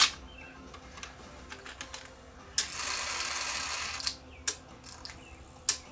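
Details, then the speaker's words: Sony DTC700 DAT recorder, after freeing a gummed mechanism and refitting its washers: the mechanism clicks, then a strained, slow, labored whir on rewind. The tape transport is still dragging a bit. "still sounds like it's dragging a bit doesn't it what rewind"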